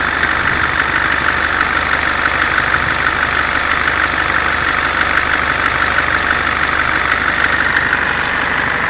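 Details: Mercedes C-Class S202 220D estate diesel at idle and with throttle: loud, steady high-pitched rasping whine from the accessory belt drive; owner suspects alternator freewheel or belt damper, unconfirmed.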